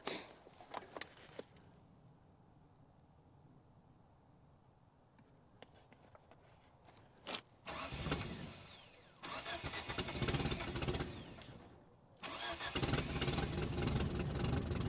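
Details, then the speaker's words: 1973 Toyota Hilux with the 18R 2.0L four-cylinder, unstarted for 20 years, cranks but won't start: starter churns in steady bursts, never catching, with gas poured down the carb and no fuel yet reaching the carb through the line. "I'm gonna fire it up and we're gonna hope to see fuel coming out of that line. None yet."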